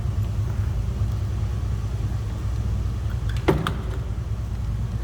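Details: 1979 Jeep CJ7 4x4, inline six believed to be the 258, idling after a cold start (temp gauge not yet moved), heard from the rear: steady low rumble with an even beat and one brief clatter; smooth runner, normal idle.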